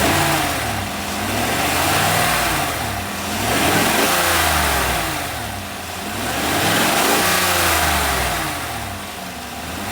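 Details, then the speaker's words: V8 being checked for a clunking noise heard mostly on cold starts and light acceleration; the engine revs up and down smoothly with no knock or clunk, so the engine is ruled out and the noise is suspected downstream in the exhaust. "Nothing to me suggest here that I have an engine problem or knocking or clunking. Nothing suggests this."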